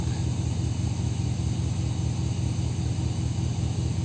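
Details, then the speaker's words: 2002 Dodge Ram V8 after water from an engine wash was cleared from the coil and spark plug wells on one bank: deep, steady rumble with an even beat, no misses, check-engine light no longer flashing; normal idle. "El problema estaba en el otro lado. Está seca. También está seca. La luz de check engine ya no parpadea."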